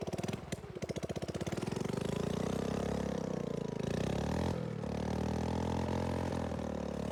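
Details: Tecumseh OHH50 single on a vintage Manco American Express go-kart, fresh rebuild, rigged fuel pump, cold icy weather: cranks and catches, then revs rise sluggishly and sag under throttle; bogs off the line and the owner suspects it needs a bigger main jet.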